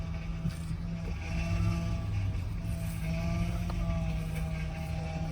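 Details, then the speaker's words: 2007 Honda Pilot at idle: steady whine over the idle that swells each time the steering wheel is turned; power steering pump whine from low fluid due to a leak, hose joint to be checked. "Ese ruido, amigos, es bien particular en los vehículos cuando tenemos problemas de fugas de líquido. Estoy hablando de lo que es el líquido del Power Steering."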